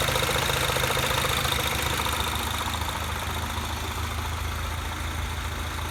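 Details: Mini Cooper S R56 at idle after replacing timing chain tensioner (updated part), vacuum pump and valve cover: fast, fairly even ticking about three per second over the engine; owner asks if normal, cause unclear.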